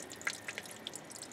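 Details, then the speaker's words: Ford Cortina MK3, quiet room: faint irregular drips, a few per second, of water leaking between engine and transmission after filling; owner suspects a frost plug blown by freezing in storage, possibly cracked block; engine must come out. "could still hear water running and that's that so sounds like she blew a frost plug at some point the first year it was in storage"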